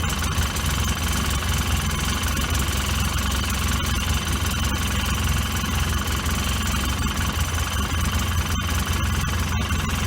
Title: Polaris 800 Rough Idle and no power.